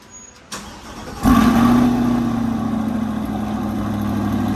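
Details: Chevrolet Corvette C8 remote-started after the K&N air filters were cleaned, re-oiled and refitted. Quick crank, catches at once, flares up and settles into a smooth, steady idle with no misses; healthy start.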